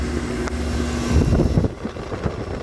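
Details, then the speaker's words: Walk-in cooler split system 3-phase compressor after failed 3-pole 40-amp contactor, windings 4.8/4.8/4.9 ohms, capacitor OK; restarts with low steady hum, no buzzing or clunking, refrigerant sight glass possibly low. Normal compressor running. "Now, it should start. Well, what do you know? Can you hear that? That's the compressor humming."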